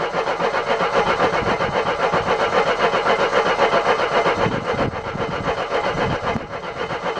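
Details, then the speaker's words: Mercedes W123, after fuel line replacement with petrol confirmed: steady starter cranking at roughly four beats a second, never firing. Cranks, no start; the owner next checks cylinder 1 TDC. "Come on, why are you not firing? I know there's petrol, it just threw petrol over the engine. Come on, car! It's not even trying, is it?"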